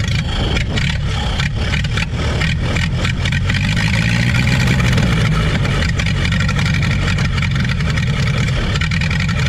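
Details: 1930 Ford Model AA doodlebug four-cylinder, revived after 72 years abandoned in woods: low thrum with slightly loose, uneven beat settling into an even run; running healthily, sounds real good.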